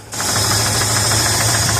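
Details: 1973 Ford truck 390 V8, cold, just jump-started, steady idle: sharp even ticking knock low in the block; lower-end knock suspected, not fully confirmed, before timing chain set and carb rebuild.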